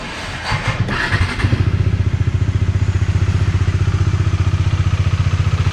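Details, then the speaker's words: Bajaj Dominar 400 single-cylinder after cylinder head assembly replacement: steady even idle thump, no ticking; previous tappet/shim clatter is gone. "ഇപ്പോൾ നിങ്ങൾ sound കേട്ടില്ലേ, ഇപ്പോൾ അടിപൊളിയായില്ലേ. പഴയ sound പറഞ്ഞാൽ ഒരു കടകട അടിക്കുന്ന സൗണ്ട് ഉണ്ടായിരുന്നു."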